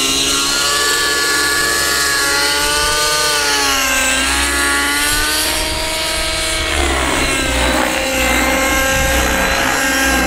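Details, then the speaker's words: RC helicopter rotor heard during rolls, note swooping up and down with a raspy, buzzy, dirty edge instead of a crisp clean chop; blades out of track. "sounds pretty dirty doesn't it [Music] vistara it's not a crisp clean blade noise you know when you roll your helicopter you know the helicopter should sound crisp clean this shouldn't have any weird like lasting sound"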